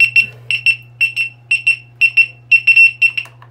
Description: My exn has hall failure issue, don't ride it if you have this alarm, it will continue beeping.